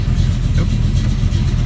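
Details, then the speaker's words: 1974 AMC AMX Javelin V8 idling after start: steady, even low rumble with no ticks, knocks or stumbles; normal idle. "Here it's idling nicely."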